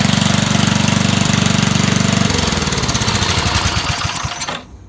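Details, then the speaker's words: Dump-find Rugg carpet-cut tractor small engine after cleaning a very dirty carburetor and adding a fuel filter; started on 3 pulls with choke. Steady even chug about four beats a second, loud open exhaust from ruined muffler, winds down and stops cleanly; normal running. "I gave it choke, 3 pulls, started right up. Not running bad, considering how bad that carburetor was."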